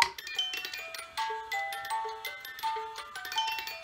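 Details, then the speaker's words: Black Forest cuckoo clock from the early-to-mid 1970s, cleaned with compressed air, lubricated with WD40, missing parts replaced and parts re-glued; bright plucked music box notes run smoothly with no drag or skipped notes; pendulum swinging, fully working. "The music is going. And all of the parts are glued back on, and the pendulum is swinging, all the chains and the pine cone weights, and it is all 100% working."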